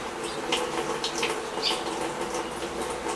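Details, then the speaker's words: Brastemp BWG11 washer with intermittent water inlet, whose fault was the water inlet valve, during a fill test: steady, even hiss of water filling with no buzzing, chattering or hammering; normal water fill. "tá entrando água normal"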